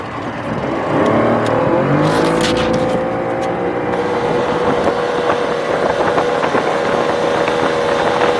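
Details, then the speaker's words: Tohatsu two-stroke outboard, warmed up, at or near full throttle: high steady drone turns ragged as a cylinder stops firing; idles and trolls fine but then dies; first thought electrical, actually a dirty fuel filter. "as it warms up you're going to hear even uh when we're at Full Throttle or near Full Throttle that it starts missing or or one of the cylinders isn't firing"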